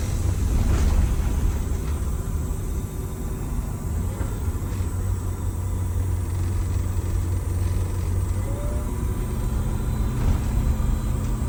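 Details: Detroit Diesel bus on road test under load after blower replacement and injector timing tune-up: steady deep rumble pulling evenly, no knocks, misses or vibration, smoke greatly reduced.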